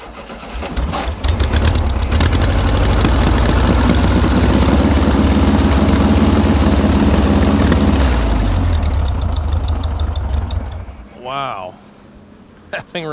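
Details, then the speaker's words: Barn-find circa 1967-68 VW Empi IMP dune buggy with an air-cooled flat-four, fired up after a couple of days of work: it catches and runs with a steady, even throb for about ten seconds, then shuts off. Normal running. "runs good. Sounds good."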